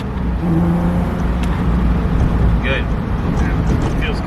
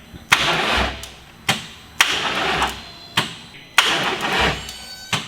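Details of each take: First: VR6-swapped 1984 Scirocco MK2 with an injector that now clicks and sprays fuel, revved: strong, smooth note rises and settles cleanly without stumbles or misfires; engine running healthy. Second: Rebuilt VR6 swapped into 1984 VW Scirocco, first start attempt: labored, sluggish cranking, one heavy compression thump about every second, never catching; suspected starter problem, car failed to start after several attempts.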